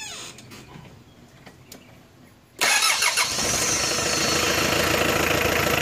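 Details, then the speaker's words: 4D56 diesel engine with the glow plugs disconnected, valve cover at 30-31°C. After a brief pause it starts almost immediately and settles into a steady even clatter: a normal start with no hard-start problem. "as you have seen no glow plugs and temperature 30 31 degree celsius the engine started almost immediate no hard start problem all that without blow relay is plugs disconnected okay"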